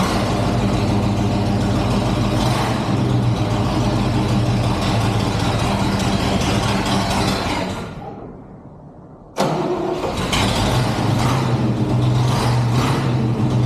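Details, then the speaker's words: 1963 GMC C20 pickup, 394 Olds V8, unrun since 1998, gravity-fed fuel from a temporary tank to the carburetor: fires first crank, steady even idle, shut off, restarts and idles smoothly. Normal idle. "woo can it even [Music] idle I love that shut it off let's see if it turns back on now let me tell you you don't always get that lucky I'm surprised first crank it fired up woo that is exciting"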